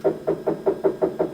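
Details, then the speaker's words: Anycubic Kobra S1 3D printer during auto leveling after the owner manually rolled bed corners out of alignment: harsh buzzing pulse about five times a second as the hotbed rises, horrible grinding noise from the bed drive. "It's already making that fun sound. You hear it immediately make some of those horrible sounds, and it's starting to raise the hotbed back up."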